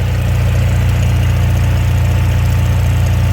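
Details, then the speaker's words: RV generator at its weekly Christmas Eve startup, about 46 degrees; the owner thinks his wrap and rubber grommets on the metal grate cut the noise, vibration and rattle. Steady, even low drone with no rattle or knock, holding speed smoothly. Normal, quiet idle. "you know that the wrap i did you know i think helped out a lot with the noise and the vibration especially with me putting those little rubber grommets on that metal grate to help keep the thing from rattling which is what you'd hear all the time"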